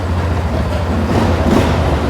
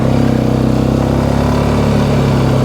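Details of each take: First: 2009 Polaris Sportsman XP ESP 550 after flipping the clutch one-way bearing and retorquing to fix a no-shift problem: low steady single-cylinder idle, smooth with no squeak from the clutch; shifting now works. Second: 2009 Polaris Sportsman XP ESP 550 after clutch repair for a shifting problem: loud, lumpy single-cylinder idle with a dragging drone underneath and noisy brakes; belt still grabbing, primary clutch suspected of not fully releasing.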